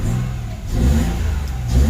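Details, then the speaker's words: Mitsubishi Mirage warming up after a spark plug replacement cured hard starting; the owner had been told the fuel pump was at fault. Clean short rev with smooth rise and fall and no misfire; normal revving. "Okay umandar na siya. Papainitin muna natin mga tapos papatayin natin."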